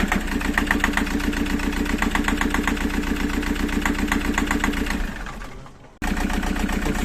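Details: Toyota after a recent timing belt replacement, fuel filter warning light on and no codes on the scanner: idle with a steady, fairly regular ticking/tapping around four per second; source not found.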